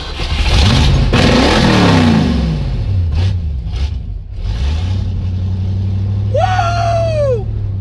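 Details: Ford Mustang with carburetor, after a dead battery and flooded carburetor were dealt with: a few throttle blips rising and falling, then a smooth, steady idle that holds without stumbling; running fine.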